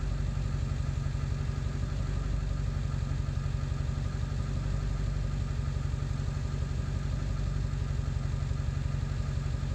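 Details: 7.3 diesel at idle after ICP sensor replacement, still running poorly: a steady low clatter with a slightly uneven, loping beat; rough idle, cause not identified.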